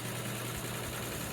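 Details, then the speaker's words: Edison box fan, probably 30 to 40 years old, with a duct-tape and drill-bit balancing weight on the blade hub: a steady low hum with shaky buzzing vibration and the cabinet shaking. The blades are way out of balance and the tape is rubbing the motor. "it's really shaking that sound is just the tape rubbing against the motor but um way out of balance"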